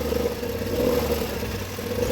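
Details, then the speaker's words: Nissan Sentra engine idling with a steady drone, rough low rumble and vibration from a worn belt tensioner whose spring loses pressure, plus bearing noise; replacing tensioner and belt eliminated the vibrations. "ruo de tensor de la correa y el movimiento que tiene"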